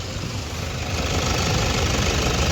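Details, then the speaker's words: Toyota Fortuner diesel that misfired with two injectors not working due to bad diesel fuel, after repair, warm at about 50 degrees idling: steady even diesel clatter, running perfectly with no problem. "तो यहां पर देख सकते हो अभी अपना car एकदम perfect चल रहा है ये और इसमें कोई प्रॉब्लम नहीं है"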